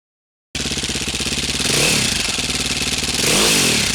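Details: Single-cylinder dirt bike engine, cold, after installing a DJH cam chain tensioner: steady, even idle beat with a couple of light blips and no chain clatter; normal idle.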